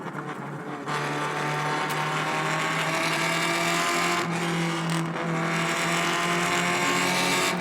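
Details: Restored Alfa Romeo Spider Veloce 105 with 1750 engine after full rebuild, driving under load: strong even note climbing smoothly through the gears with brief dips at each shift; healthy, sweet-running engine.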